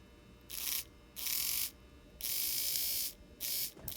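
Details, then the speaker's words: N scale Atlas/Rivarossi 2-8-2 Mikado locomotive tested before lubrication: short bursts of a high, smooth, even whir; the motor runs freely and well. "runs very good I'm gonna lower my voltage there see what we got so that's decent"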